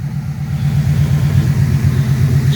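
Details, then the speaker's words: 1997 Mustang GT V8 idling after replacing a dying stock ~20-year-old fuel pump with a new Quantum 340 lph pump, pressure about 41: steady, deep, even burble with no stumble, miss or pump whine; purring, healthy idle. "is purring like a kitten ah car's coming around"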